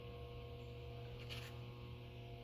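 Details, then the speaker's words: Central AC with thermostat calling for cooling; the outdoor compressor spins but no air comes from the indoor vents. Only a faint steady hum with no air rush: blower motor hums but fails to start, from a bad run capacitor. "but nothing's happening usually there's a louder sound that comes with it when the AC is turned on and when I go over here put my hand here and there's no air coming out of here"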